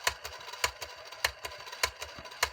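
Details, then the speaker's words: Jaguar T2026 four-transistor reel-to-reel tape recorder on rewind with crystallized, worn rubber tires: sharp thump about every 0.6 seconds with lighter ticks between; hardened rewind idler tire with a big flat notch. "that's bad that means there's a big big heavy duty notch in the rewind roller"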